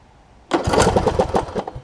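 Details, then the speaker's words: John Deere D105 riding mower, about 62 hours, parked for an unknown time, cranked on a possibly weak battery: starter spins briefly, engine catches and settles into a steady, even idle to warm up; starts easily, only needed fuel in the fuel pump. "Really? It was that easy. Down to let it warm up. That's all it took. That thing almost started right up. It just needed to get some fuel in the fuel pump."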